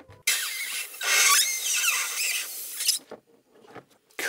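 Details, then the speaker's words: BMW E46 that stalls after starting, engine off during a leak test: sharp steady hiss with a squealing edge from the same cracked vacuum hose spot even after a hose clamp was fitted; clamp fix failed, air still leaking. "z tego samego miejsca czyli opaska nic nie dała kompletnie"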